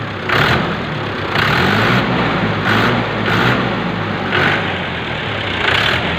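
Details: Mahindra tractor diesel idling just after fuel injection pump spill-cut (drop) timing was matched: even clatter with a steady, unhurried beat, no misses or knocks; healthy idle after timing correctly set.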